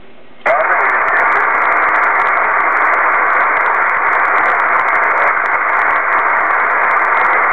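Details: Kenwood TS-2000 HF receiver on a 125 ft end-fed random wire with 450-ohm line: constant loud band-noise hiss swamps the voice band; persists on 12 V battery with house mains off, so not from the house; signals need S9+ to be readable.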